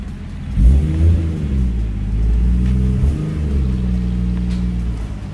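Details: 1JZ engine on aftermarket ECU, untuned, after e-throttle delete with new throttle plate, driving: low rumble coughs and splutters on short light throttle taps, then picks up, responsive mid-throttle; owner suspects it's because it's untuned.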